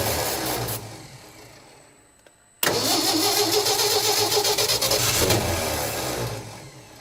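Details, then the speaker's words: 1967 Ford F-100 with 240 engine, first start after 30+ years, low on fuel, carburetor probably gummed and leaking at the accelerator pump: catches with a sharp burst then runs ragged and sags; rough running, owner suspects fuel delivery. "this carburetor is probably getting a little gummed up and we've now started leaking fuel everywhere from our accelerator pump"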